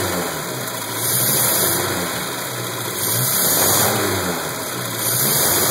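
Engine surges as it's revved, then drops to a lumpy, uneven idle with a stumbling beat, pointing to a misfire.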